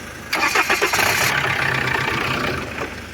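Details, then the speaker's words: Opel Astra G 1.9 CDTI diesel with an automatic gearbox, after a starter replacement and with an added battery, cranks a few turns, catches cleanly and settles to a steady idle; normal start. A current leak draining the battery is suspected. "Ну в общем чути все заводиться значить до того всього стартера добавили ще акумулятор"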